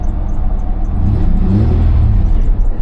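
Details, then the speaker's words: Chevy Blazer 2-door, 276,000 miles, service engine soon light on: deep even rumble swells with one smooth rev and settles back, no misses or knocks; runs great. "Revs up nice. It honestly runs great."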